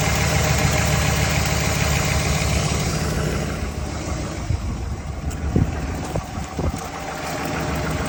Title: Camshaft? Lifter tick? Piston slap?